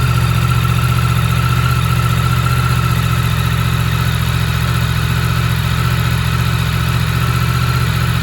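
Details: Yamaha MT-10 motorcycle idling stone cold after sitting about 3 weeks on a trickle charger. Steady, even idle with a smooth low beat and no knocks or ticks. Normal, healthy cold idle.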